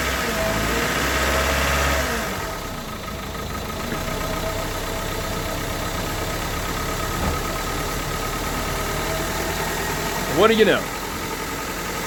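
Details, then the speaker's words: 1998 Honda Civic with a long-sitting replacement engine swapped in after a rod bearing failure, first start: it catches and settles into a fairly steady idle with light mechanical clatter; some hesitation is expected until oil circulates and the rings unstick. "thing run sound okay oil is getting thrown around I'm going let it I expect to have a little hesitation till everything circulates"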